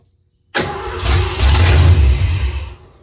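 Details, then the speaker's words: 1986 Ford F-150 after sitting for years, new starter solenoid fitted: catches abruptly, runs rough and uneven about two seconds, then dies; no fault codes, timing suspected off, fuel suspected; start and stall. "okay well it's obviously want to run let's check fault codes"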